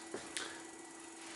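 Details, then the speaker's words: Xerox Alto's LH Research Mighty Mite 5V/60A switching power supply, powered up after new transistors and fuses, now regulating at 5 volts: only a faint steady high hum and light clicks, much quieter than before, no chopper squeal. "all right uh so it looks like those transistors are doing fine a lot less noise from the supply it's much quieter"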